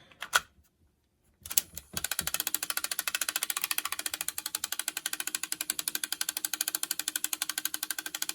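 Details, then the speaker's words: Sanyo M7770K boombox cassette deck, tape in fast forward: fast, even clicking at about ten per second with a faint hum, coming from a reel; the transport is not engaging. Cause not yet known. "now it's literally not engaging that's not a noise it should be making why is it making that"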